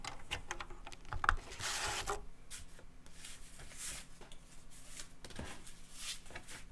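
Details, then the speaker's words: Teac FD-55GFR 5.25-inch floppy drive in an external housing, run through an NEC UF0001 USB floppy controller via a 26-to-34-pin converter, booting old disks: quiet irregular ticks, buzzy head-seek bursts, soft spinning hum; normal seek and read. "uh so um you could see that this good old drive uh hooked up to the the usb controller plugged into the computer it could read write stuff boot you could copy files still works"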